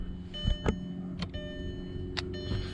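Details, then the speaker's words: VW Jetta 2.0 that sat two months with a dead battery: the power window motor hums steadily in the door with sharp clunks, but the window won't roll back up. The window was later working again. "And the window won't roll back up. It's messed up. So that's frustrating."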